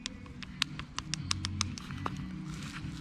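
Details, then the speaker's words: 2004–2010 Toyota Sienna intermediate steering shaft, removed: twisting it by hand gives scattered sharp metallic clicks and clunks from a worn, sloppy u-joint that binds; it caused steering noise and kept the wheel from returning to neutral. "but the main the main thing that was annoying me was the sound okay and then it was also dangerous because it wouldn't return back to the neutral position"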